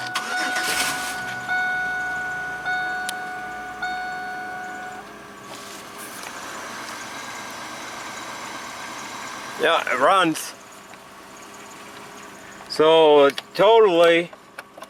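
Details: 1995-05 Oldsmobile Silhouette/Pontiac Montana/Chevy Venture minivan, 157,686 miles, about a month after fuel pump replacement and fuel line patch: cranks, catches quickly and settles into a steady, even idle with no stumbling; starting and fueling normal.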